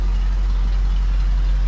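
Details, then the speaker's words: 1974 Ford Bronco V8 after replacing both fuel tank sending units and restoring fuel flow: deep, steady, even idle with no misses, knocks or hunting; normal idle. "Just running great. What a nice running rig, huh?"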